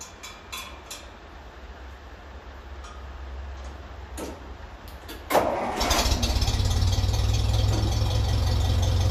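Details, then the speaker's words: 1957 Ferguson 35 TVO tractor, restarted after the exhaust sleeve, which had not been sealing and leaked fumes down its splits, was tapped down: it catches and settles into a steady, even low idle chug. It sounds more silenced with the leak gone. "and it is it sounds a bit different through the exhaust now as well with that leak gone sounds a lot more silenced"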